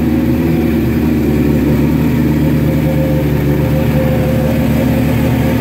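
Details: Suzuki GS1100E Mr. Turbo, first start after not running since 1996, after starter fluid and a little choke: a steady, strong four-cylinder drone with an even beat and no knocks or rattles. Runs cleanly; jetting still to be set on a dyno.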